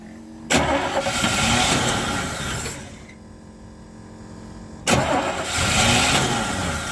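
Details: Chevy C10 pickup with 350 V8, sat in a barn 30 years, at 29°F with no fuel in the tank, primed: engine catches twice, roaring up a couple of seconds each time before fading; fires cleanly.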